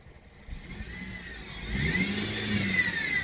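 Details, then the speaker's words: Dodge Caliber with a power steering noise complaint, engine revved with the AC on: a loud high whine rising and falling with rpm from the belt-driven accessories, not caused by the AC compressor; serpentine belt to be removed to isolate it. "yeah that's a loud wine now not because the compressor on but it's just a loud one"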